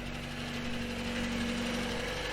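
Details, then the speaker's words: 1964 Triumph Herald, about 1200 cc, idling after a fuel pump rebuild, with newer carburetors and a stainless exhaust: even steady idle with a smooth low exhaust note and no knocks, misses or hunting; healthy. "this is really nice it sounds really good see if you can hear a little better nice even tone too"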